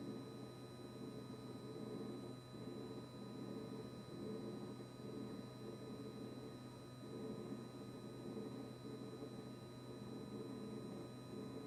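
Steady low hum with a constant buzz riding over it, never cycling off; the fridge compressor is buzzing continuously, cause unclear.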